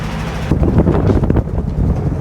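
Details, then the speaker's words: '69 Bronco V8 on first test drive after new intake and carburetor: loud, raspy low-end roar with rough puffing under way from an exhaust leak, suspected on the passenger-side bank, obnoxiously loud. "So what is immediately noticeable is that exhaust leak. I'm pretty sure it's coming from the passenger side bank, and it is obnoxiously loud."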